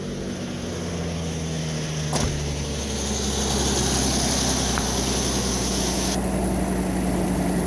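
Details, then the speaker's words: Jeep Comanche truck starting after pinched wires found behind the bumper were fixed: the engine catches and settles into a steady, even idle with a smooth low drone and no knocks or misses, running normally. "he's a runner so we're going to go through tune her up give her a new life"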